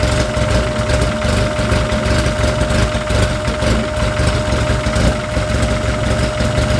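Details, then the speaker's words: Freshly installed engine on its first heat cycle, filled with about six quarts of Rotella T4, coolant being burped, at about 110 degrees. Loud, lumpy but steady idle with no knocks or ticks. Sounds healthy. "so this is one we'll do it two more times to make sure we got all the air out but it sounds great"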